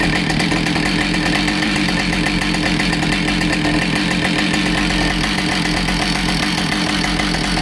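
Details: Husqvarna 572XPG chainsaw that had been run over, test run after repair with a new bar and a replaced heated handle: steady, high buzz holding an even speed with no wobble or rough patches; the saw runs cleanly.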